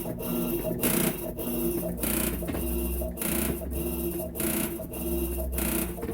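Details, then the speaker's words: Electrolux LTE12 version 2 top-load washer, control board later repaired: loud, rough whooshing surge about once a second over a steady motor hum during agitation, an abnormal noise the washer made at spin. "essa plaquinha aqui foi recuperada ela fazia barulho na hora de centrifugar"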